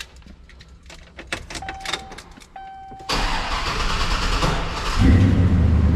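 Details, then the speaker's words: Chevy Silverado SS V8 after tune-up (plugs, wires, fuel filter) and power steering pump swap, fuel drained from filter forward: clicks, then several seconds of cranking before it catches and rises to steady idle; slow start from drained fuel lines. "it's going to be a little harder to start we just drained all the fuel from here forward so don't be surprised if it takes a little longer to crank up"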